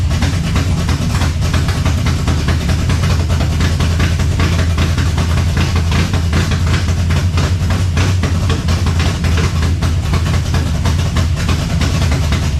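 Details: 1970 Chevelle V8 with Holley Sniper 2 fuel injection, alternator unhooked, warming up: deep idle with a loping, uneven pulse that never settles; rough idle, owner suspects IAC, cap and rotor or valves, not pinned down.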